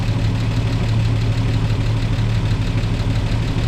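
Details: 1949 Chevy Fleetline after refilling coolant and bleeding, battery reinstalled: old petrol engine idling with a lumpy, uneven, wavering beat on startup; rough idle, cause not found.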